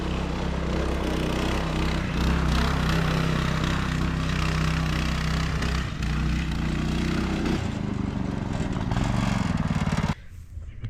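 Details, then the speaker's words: Child-size go-kart single-cylinder engine, after sitting for years, on driving test after new carb and throttle cable, adult driver aboard: pulls steadily at working revs with even note, then cuts off; runs pretty good. "Well, it runs pretty good, so that's all I'm doing with it."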